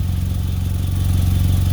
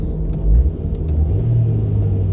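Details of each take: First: Nissan Altima idling, heard under the car at a previously cut and joined exhaust pipe with uneven pipes and a leaking stainless clamp; low throaty pulsing puff; exhaust leak at the joint, before fixing with exhaust wrap. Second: Nissan Altima after exhaust repair: low, smooth rumble rising gently with revs, no blowing, ticking or rasp from leaks; quiet, sealed exhaust.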